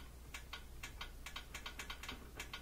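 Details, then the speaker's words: Whirlpool Thin Twin washer that would not spin: with power on and dial set to spin, only faint irregular clicks over a quiet hum, no motor spin-up; likely lid switch fault. "but if you get no sound then almost always that's going to be a problem with this thing the lid switch we hear it clicking"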